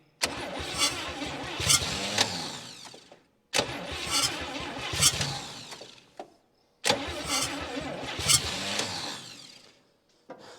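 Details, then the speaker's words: 1959 Chevy Biscayne 6-cylinder, once locked up after about 20 years stored, day three on the old starter: three dragging, uneven cranking bursts of about three seconds each, never catching; slow crank, no start. Owner blames the weak starter and plans to charge the battery. "starter just isn't isn't helping me here at all I'll charge the battery a little bit and see if that'll help it"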